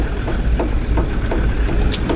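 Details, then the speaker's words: Vehicle driving on a roadworks section: dull thump about three times a second over road rumble, keeping pace with the wheels; not a flat tire. Rhythmic thumping while driving, stopped later; driver thinks it was a loose rock. "I am hearing a weird sound it is not a flat tire"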